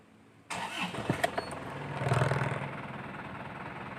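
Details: Isuzu Panther LS 2008 diesel, 12 years old, seldom driven; the starter cranks briefly, the engine catches within about a second, revs, then settles to an even idle clatter; normal healthy start.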